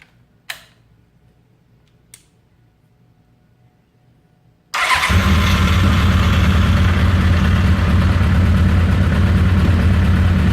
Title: Rough Idle